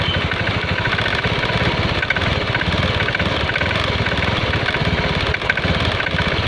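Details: Honda Scoopy scooter at steady idle with a faint, uneven tapping klotok clatter from the CVT belt drive; the cause was later found to be worn clutch lining and loose slider rubber.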